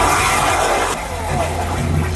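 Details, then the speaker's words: Aquila 32 Sport boat's automated marine toilet in the starboard wet head, normal flush mode: short rush of water filling the bowl well, then smooth refill, no straining or grinding from the pump; normal flush. "so now let's take a look at what the regular or normal flush looks like so we'll do the normal flush fills up pretty good with"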